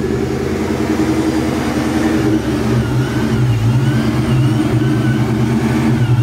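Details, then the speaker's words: Vortech-supercharged 1999 Ford Mustang GT V8 with Tial Q 50 mm blow-off valve, revving: deep throaty even note with steady supercharger drone, no misses or stumbles; normal healthy engine (idle fluctuates, owner blames blower/charge pipe). "so it does have a tile Q 50 mm blow valve it sounds sick it really does especially driving"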